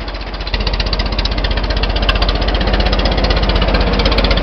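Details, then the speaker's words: 1926 Fordson tractor, first run in about 8 years, recorded while driving: loud, coarse pulsing at about four beats a second with a harsh grinding overtone from the worm-gear rear end. "I'll set the camera down here and get her started and we'll go for for a drive on it so you can hear the awful noise that the worm gear rear-end makes"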